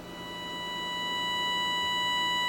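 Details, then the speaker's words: Tenma signal tracer's injector output fed into its own input in AF mode, volume slowly raised from zero: a steady pure tone near 1 kHz swells in loudness over a quiet background, the normal test signal for injecting into receiver stages. "and you hear that tone it's around a th000 uh Hertz or kilohertz and the purpose is to use for injecting into the stages of the receiver"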